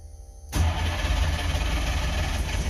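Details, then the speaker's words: Berkeley two-stroke car, unstarted a month or two, choke on, after letting fuel pump run longer; after a pause it suddenly catches with a loud, low, rough rumble but doesn't settle into idle: fires but won't keep running. "There we go. Oh, almost. Let's try it again."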